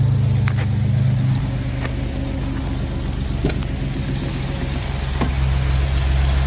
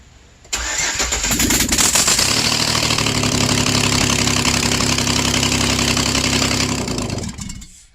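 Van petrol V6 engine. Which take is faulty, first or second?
second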